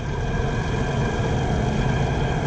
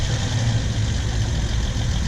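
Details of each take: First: 2008 Honda Accord on a jack stand, heard from underneath at the left front as the wheel spins faster: a steady low drone and growl. Worn left front wheel bearing, confirmed bad once the hub assembly was removed. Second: 2008 Honda Accord, GoPro laid against the good-side front wheel bearing for comparison: steady low rumble with no grinding or growl; this side sounds healthy, while the left front bearing and hub assembly were found bad.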